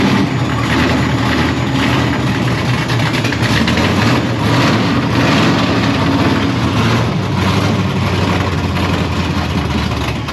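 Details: LSX engine freshly installed in a C1 Chevelle street-legal stock car, carb without choke, cold start: loud V8 idling unevenly, revs surging and sagging, smoking a little; rough unstable cold idle, settled once warm before.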